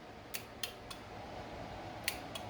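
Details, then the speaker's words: 1979 Lotus Esprit with new custom wiring and fuse box, horn button pressed: crisp sharp clicks each press over quiet background from the horn relay; horn relay switching normally. "The horn, I'm going to try the horn. Horn is right here. So when I push it, I hear the relay."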